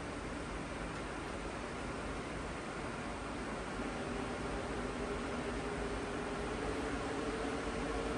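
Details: Goldshell Mini-Doge crypto miner powered on from a PSU after the old six-pin fan connectors were resoldered with new ones: steady, even fan rush that rises slightly, with a faint hum; no rattles or rubbing, so healthy fans.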